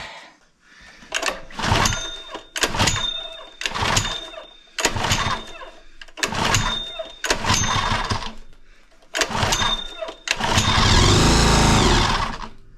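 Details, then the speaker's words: Honda GX120 petrol engine on an air compressor, previously no compression, plug suspected fouled: catches in short bursts about every second and dies, runs briefly only when gas is poured in; won't stay running unassisted, smoky exhaust. "I'm going to uh I'm going to figure out this thing won't stay running unless I feed it gas."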